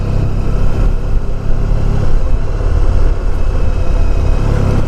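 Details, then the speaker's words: 1994 Honda ST1100 test ride after replacing the front wheel bearings: steady engine drone and wind rush at road speed, no rumble or growl from the front wheel. The earlier bearing noise is gone and the bearings sound healthy. "writes fine smooth like I said it took me longer to set up get the tools and everything prepped doing the work yourself"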